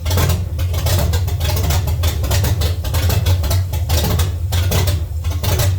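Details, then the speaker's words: 1970 Chevy C10, small block 305 V8, after intake and carburetor change: lumpy, stumbling idle with irregular dips and puffs, struggling to stay running; misfire from the distributor cap center button having broken and fallen out. "I've never seen this happen this is the button on the center of the distributor cap it broke and came out of there I I don't I never ever seen that I don't know what the heck no wonder thing wasn't run right"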